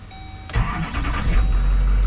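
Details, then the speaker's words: 2006 Chevrolet box truck with a 6.6 Duramax diesel and 90,000 miles: a quick crank, then it fires at once and settles to a smooth, quiet, steady low idle with no rattles or knocks. Normal diesel start and idle. "very quiet which is nice no rattly cumings"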